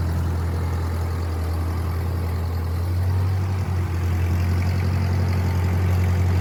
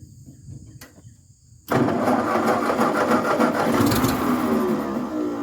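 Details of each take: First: 1950 Ford 8N tractor, 4-cylinder, converted to 12 volt, project, after fitting a new carburetor because the old one started and died as if starved for fuel: low, steady, even idle chug with a slight speed lift, no misses; runs well. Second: 1950s Ford 8N tractor (converted to 12 volt, new starter, supposedly new carb, gravity-fed fuel setup) cranks then catches and runs rough and uneven without settling; starts but runs poorly, owners suspect fuel issue despite carb cleaned twice.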